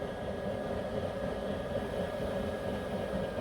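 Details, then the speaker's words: Alpha Etec 28 boiler after a leak repair part replacement, refilled to 1 bar and heating water to 48–50 degrees. Even, steady roar with a faint constant tone and no knocks or rattles; the burner is operating normally. "right we've turned the um boiler on it's just heating up the um the water so it's on 48 degrees 50."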